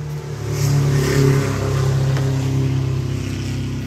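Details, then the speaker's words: Walk-behind lawn mower, started with carburetor cleaner in the plug hole; compression and spark fine: muffled, flat note that climbs then sags, never reaching full revs with carburetor fully open; bogging, carburetor cleaning needed. "se escucha la máquina como que está sorda como que no despega completamente como que se como que no que no abre completamente"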